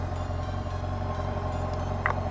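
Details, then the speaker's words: Yamaha FJR1300 with a newly swapped used engine, idling: steady low rumble with a faint light ticking from the front of the engine; known slight exhaust leak may contribute, but ticking went away and returned after oil change. "Not sure if you guys could hear that ticking noise. And the ticking is coming from right up front."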